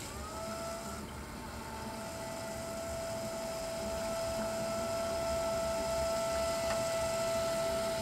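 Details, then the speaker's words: Swiftech Apogee Drive II pump in a water-cooled BitFenix Prodigy home server with an XSPC EX240 radiator, drawing in coolant during filling: a steady mid-pitched whine over a soft watery hiss. Strong and running normally, no leaks. "now this little pump is pretty strong look at that"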